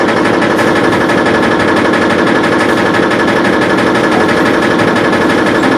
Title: Foot vibration and knocking noise